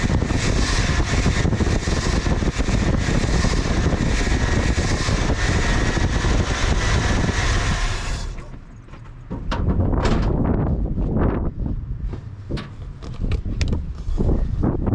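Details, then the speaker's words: 1980 Dodge W200 Sno-Commander with swapped Magnum 5.9L V8, in snow, after applying belt dressing to squealing belts: even rumble with no belt chirp or squeal; normal running. "I can't believe it worked. Took the squealer right out of it. It says it fixed the squeaky belts, and it fixed squeaky belts."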